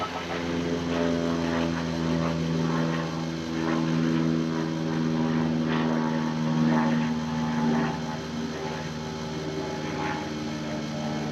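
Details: 2005 Ram 5.9 Cummins diesel, unrun for a couple of years, after replacing FASS lift pump filters; steady even cranking at about four beats a second with no catch, fuel starvation as the lift pump isn't pumping or keeping up.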